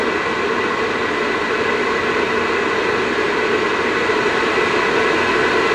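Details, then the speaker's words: Vivosun 6-inch 390 CFM inline fan running without ducting or filter: steady even whooshing rush, loud open-outlet jet-like airflow, no rattles, ticks or rubbing; ducting and filter expected to quiet it. Normal fan airflow noise. "Alright, so like I said, it's not terrible. If you're, once you put it in line and put some ducting on it, possibly a filter, maybe a couple S-turns on the output side, you won't get that kind of jet engine sound, and it'll be fairly quiet for how much air it's moving."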